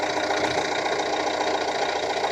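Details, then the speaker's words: Renault Trafic 3 R9M diesel van, warm idle after about 10–15 minutes following a timing chain replacement: a smooth, even tick-over with a light regular ticking and no knocks, likened to a sewing machine, running as it should. "like a little sinker sewing machine. The van's been ticking over now for about 10-15 minutes."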